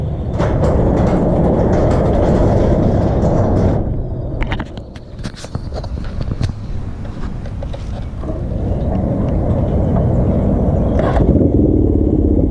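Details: Custom Suzuki GS450 scrambler on a warm-up ride, choke off: engine note sags sharply when throttle closes, nearly dying before picking up; stalling off throttle.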